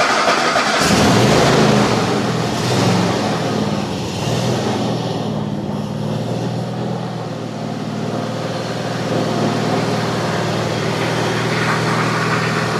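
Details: Cub Cadet LTX 1050 with a Kohler Courage 22 hp V-twin, after resealing the sump and refilling the oil for a squeak issue: catches after a brief crank, then a steady, even putter with no squeak or knock; running normally.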